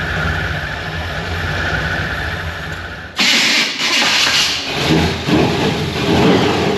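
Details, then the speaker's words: Supercharged (blown) Chevy C10 on first drive after vacuum leak, timing and starter fixes; steady drone with faint blower whine, then loud rush pulling away, no grinding or knocking: running healthy, very loud. "Good grief, that sucker's loud."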